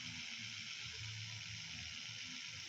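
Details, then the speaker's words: Panasonic indoor AC fan motor with worn 608 bearing: steady rough hissing whir with uneven low hum, very harsh especially at night; bearing then replaced. "apalagi kalau suasana malam selesai sungguh wah ini udah kedengaran kasar sekali"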